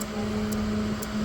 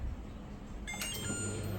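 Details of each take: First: LG NeoChef inverter microwave with the cover off, turntable rotating and no error or door alarm. Steady low mains hum and fan whirr but no heavy magnetron buzz, and it does not heat. Magnetron fault. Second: LG NeoChef inverter microwave after magnetron replacement, first start: a few relay clicks, then a steady low hum with a faint even tone; now fixed, running normally.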